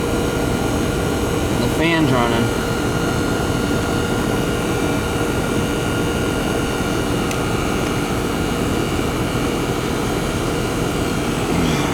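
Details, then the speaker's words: American Standard/Trane AC condenser whose fan wasn't spinning, burnt fan wires found, rewired (hard-start kit wire noted): steady even hum with fan whoosh, no rattles, surging or cycling; compressor and condenser fan running normally after repair. "foreign ER compressor's running"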